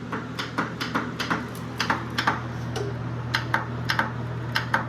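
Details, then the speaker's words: Riding lawnmower, borrowed battery fitted after original read one volt, no fuel line or gas: sharp solenoid clicks in quick pairs, about two a second, with no cranking spin; solenoid heard but starter not turning. "all right we got we got something going on here I hear the solenoid but I don't hear the starter"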